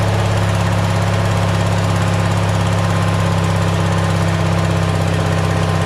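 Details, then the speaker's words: Simplicity tractor single-cylinder engine on a cheap Chinese replacement carburetor. It chugs at a steady, fast idle with no dips, about 500 rpm too high by ear. The owner plans to add a spring to make it idle properly. "that's what it sounds like anyway it's probably about five hundred rpms too high anyway"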